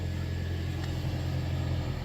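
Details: 2013 Toyota Prius C after replacing a noisy cabin blower motor assembly: steady, even low hum with no rattle, tick or squeal; new blower runs smooth and quiet.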